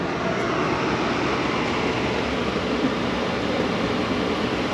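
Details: 2012 Chevy Malibu, about 86,000 miles, heater blower on its highest setting with the car warm after blower motor and resistor work: steady, even rush of air, no ticking, rubbing or wobble; normal blower operation.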